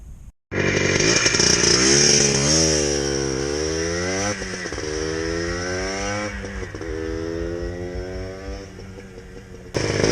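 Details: Finished Benelli build with Blaster power, Chinese top end, on a shakedown run in a parking lot: crisp two-stroke ring-ding rises and falls cleanly with the throttle, pulling smoothly without stumbles; engine sounds healthy.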